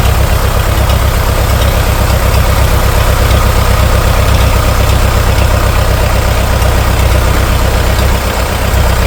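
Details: International TD-6 crawler, revived after 11 years sitting rusted stuck, running on diesel after gas start, following the #4 cylinder misfire fix. Deep, steady idle with an even low thump, no misfire or stumble: running cleanly.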